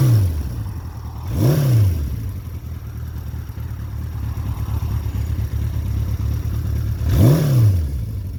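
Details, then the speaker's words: 1975 Honda CB550 Four, mostly original, 9786 miles, carburetors cleaned and rebuilt: steady even four-cylinder idle with two crisp revs rising and falling back cleanly; healthy, responsive, normal idle and revving. "sounds like an old Honda"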